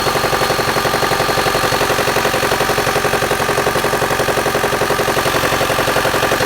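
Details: 2008 Mitsubishi Outlander XL, 4B12 MIVEC engine at idle: steady, sharp knocking about 136 per minute, evenly spaced; engine knock of unknown source, owner asking what it could be.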